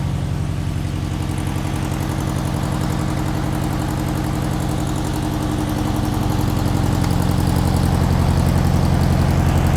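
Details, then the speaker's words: Long-stored air-cooled VW Beetle engine (sat decades) on first run, carburettor not yet cleaned: low, lumpy idle with firing pulses three to four a second, uneven, struggling to tick over; rough idle. "doesn't really want to take over properly but you can't blame it for that I haven't even cleaned the carburetor yet"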